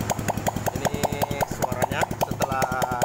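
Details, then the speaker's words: Honda Supra 125 after reboring and new original piston (old piston worn at skirt, cylinder badly damaged), test-run with exhaust fitted; crisp, even popping at steady idle, no knock or rattle, now smooth. "inilah suaranya teman-teman Oke kelihatan suaranya sudah halusnya teman-teman"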